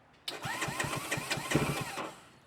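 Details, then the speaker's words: 212cc engine on Honda Grom clone just fitted with Nibbi PE28 carburetor, choke on: starter churns in quick even pulses, about six a second, for under two seconds without firing because the carb float bowl is still empty. "Throw some choke on. I know that carb bowl's empty."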